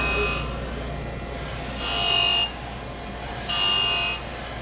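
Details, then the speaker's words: Okamoto surface grinder with 46G wheel grinding heat-treated insert, feed raised to 30%: harsh hissing grind swelling each pass about every two seconds over steady spindle hum, spindle load low; normal heavy cut. "you can see it's biting harder now and spindle loads really not that high it just sounds bad"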